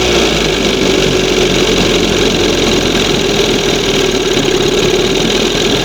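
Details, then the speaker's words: 1971 Johnson 20 hp outboard, replacement carb with two holes in butterfly: steady fairly high two-stroke buzz that won't idle below just past second mark; high idle, air/fuel leak, reeds or pump suspected. "With two holes in the butterfly, I have to lean it up a little bit. Now, see that's right after the second mark. It won't idle past that."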